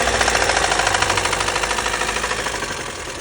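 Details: Lada Kalina 8-valve engine at idle: sharp, regular knocks at about three per second that ease slightly as it settles; a definite internal engine knock, cause unknown.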